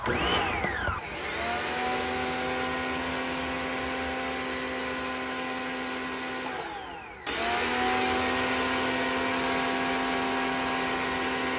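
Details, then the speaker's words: Pressure washer racing out of control: loud high-pitched screaming whine dips after about seven seconds then surges back, like a blow-off valve noise, sounding near 15,000 rpm; owner thinks it is broken, cause unknown. "My pressure washer is so broken. It sounds like it's revving to like 15,000 RPM. It sounds like it's about to blow up."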